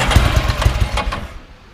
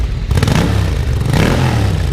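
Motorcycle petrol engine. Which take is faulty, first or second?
first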